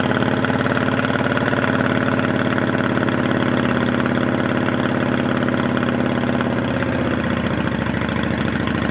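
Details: 2008 Yamaha V-Star 650 carbureted V-twin, spring 2014 first start after winter storage with fresh gas and carb cleaner, on choke: steady, slightly lumpy fast idle holding speed without hunting or stalling; normal cold idle.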